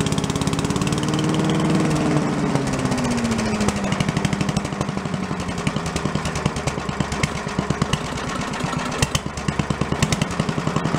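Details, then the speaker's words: Commercial walk-behind leaf blower bought not running with carburetor problems (flooding, shut-off not shutting off), after carb work and air cleaner refit: small two-stroke revs up, then settles to an even popping idle without stalling, blowing some smoke; normal idle. "I got the air cleaner back on tweak it one more time we let it run a little see it's blowing some smoke but that may just be for first-time Z's"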